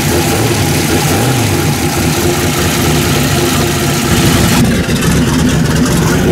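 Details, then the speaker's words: V8 running on a freshly bolted-on Holley 750 carburetor, after checking the floats and fuel leaks and tuning it. A steady, clean, even fast idle at about 1700–1800 rpm with no misses. Normal fast idle. "Alright, there she is. She's good to go. Tuned in. I got it out in about 1700, 1800,"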